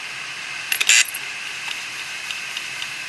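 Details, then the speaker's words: Western Digital 500GB external USB hard drive with crashed heads. A quick burst of sharp clicks, then a thin steady whine. Forced to read, it fails and parks its heads. "the hard drive is not happy it says there is something definitely horribly wrong here I'll just turn myself off and park the heads"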